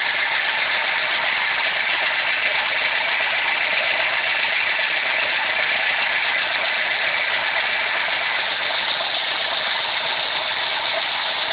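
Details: Renault Clio engine at idle: fast light ticking about two per second over a hissy top end; owner unsure whether it is a hydraulic lifter or a valve, not confirmed.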